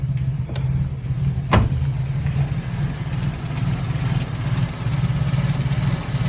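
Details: 1997 Toyota Corolla with a hard-starting complaint, just after a cold start: deep, slow, steady rumble with no rise in speed; the idle sits too low.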